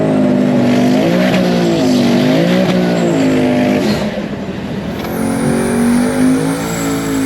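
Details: Twin turbo Hemi Dodge truck drag pass after tune changes: engine screams up through the revs, quick clean shifts taken early at about 6,400-6,500 rpm, pulls hard again, no bog.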